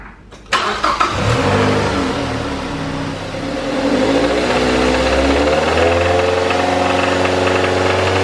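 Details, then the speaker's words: Engine of a charity-flip car started and revved: an intermittent deep knock riding on the revs, not constant, which worsened after driving; owner suspects it is not rod knock but cause unconfirmed. "there is a quite concerning noise in there as you can hear it's not all the time"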